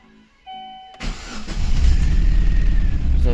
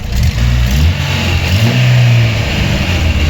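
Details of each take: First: Chevrolet Aveo 1.5 8-valve Opel engine, rebuilt two years earlier, just started: cranks, catches, then uneven stumbling beat, one cylinder misfiring with no check light; head gasket failure, coolant in cylinder, sludge in coolant. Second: Chevrolet Aveo 1.5 8-valve Opel engine after head gasket repair, warmed up, old antifreeze burning off from exhaust: steady, even low idle rumble with no knocks, misses or hunting; healthy, nothing boiling.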